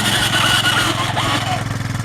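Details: 1990 Yamaha Moto4 ATV being towed by another Moto4 with the clutch let out in 5th gear, happens in every gear; thin whine rises and falls with road speed over the towing engine's chug; it stalled with this whine, cause unclear.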